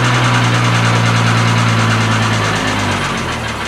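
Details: Triumph TR6 six-cylinder warming up after a cold start following winter storage: smooth idle with a steady low burble that eases slightly toward the end; normal idle after cold start.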